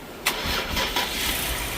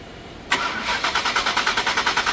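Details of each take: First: 2020+ Ford Explorer Platinum 3.0L after replacing a sensor and clearing codes: brief starter whirr, catches within a second and idles smoothly; starts right up, despite a weak battery and suspected bad alternator. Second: 2020+ Ford Explorer Platinum 3.0L: about six seconds of steady starter cranking, roughly eight even compressions a second, with no firing; long crank or no start caused by a faulty fuel rail pressure sensor.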